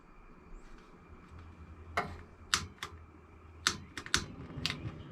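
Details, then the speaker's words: 1990 Fleetwood Bounder motorhome propane stove, left front burner: sharp, irregular igniter clicks about two a second with no steady burner roar yet. Owner believes air in the propane line is delaying light-off; it lights shortly after. "I'm probably pretty certain there's some air in the lines. Yeah, it's trying to blow my flame away. It'll light once there's propane there."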